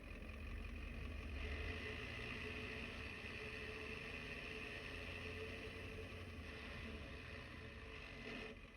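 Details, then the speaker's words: Diesel truck with newly installed ZF5 transmission and new clutch at idle, clutch released: loose, rattling drone over the steady idle. Gear rollover noise. "hit the stop sign because You're gonna hear the worst gear rollover noise you'll ever hear in your life."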